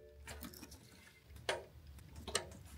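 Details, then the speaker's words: 2008 BMW E92 M3 V8 with a newly fitted valved exhaust, engine off, wired to a switched, fused power and ground. The exhaust valve solenoid gives sharp, separate clicks about a second apart, switching correctly each time. "I hear it switching every time Perfect all I have to do now is button everything up under here"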